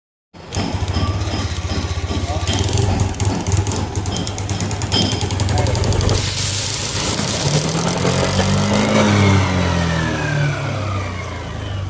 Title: namx 160 magneto fazendo barulho. #nmax #viral #oficina #mecanica #follow #explore